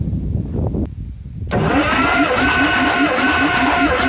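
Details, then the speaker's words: Compression test cranking on the gasoline engine of a 1955 M51 Mack 5-ton military 6x6 with a cheap gauge, reading about 105. The starter cranks steadily at about 2.5 even beats a second with no lazy stroke. Compression sounds even. "105 same thing being this is a cheap compression test kit uh i'm just assuming that probably it's off a little bit because why would the compression change after only 45 years"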